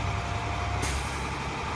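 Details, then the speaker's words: Automatic truck idling while building air pressure with throttle held slightly raised: a sudden sharp air hiss bursts in and holds as pressure tops out at 120 psi; air governor cutting out normally. "Alright, there's the governor cut off. That means my air governor is working properly and my air pressure is normal at 120 or 125."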